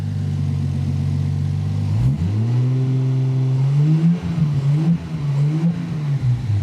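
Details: Toyota Supra JZA80 (2JZ-GTE) with a newly wired knock sensor plug, no fault codes and fuel pressure of only about 15 psi: a steady idle, then uneven, ragged revving. It misfires while revving; the cause is unconfirmed.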